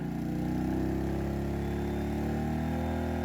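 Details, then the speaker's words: Pulsar GD400BN dual-fuel inverter generator on propane with second heat gun added, about 3000 W load: loud, steady, even drone holding one pitch, no hunting or misfire; normal running under heavy load. "definitely gets pretty loud hopefully you can hear you can hear them now"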